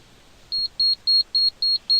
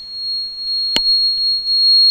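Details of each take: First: Gas conversion ECU diagnosis, switch self-test: six short, even high-pitched beeps about a quarter second apart while all switch LEDs blink. The gas switch buzzer is working normally. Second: Gas conversion ECU diagnosis, running on gas, gas injector 3 deliberately disconnected: steady high-pitched tone from the gas switch, its alarm for injector 3 open load, no injector signal; open-circuit warning buzzer.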